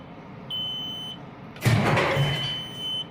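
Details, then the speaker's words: 1992 Kenworth T400 diesel truck, after sitting in a roughly 50°F shop, put in gear: a steady high-pitched low-air warning buzzer sounds twice with a thump between; the air tanks were empty from a leak at a loose tank plate. "left it neutral but when I was just showing you shifter I put it in gear and do you remember so you hear the buzzer and see we got some Aaron in the front tank and a little bit area in the rear tank but it was empty"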